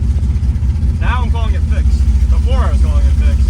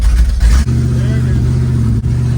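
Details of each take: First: Car after fitting an HEI-style distributor to replace a broken one whose advance was freezing, with loose plug wires reseated, on a test drive: revs cleanly with an even, strong beat and no misses or stumbles. Now runs good. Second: V8 with open header extensions and an MSD box, driving: uneven rumble with brief dropouts and lopsided beats, cutting between six and seven cylinders and back to eight; the distributor is blamed.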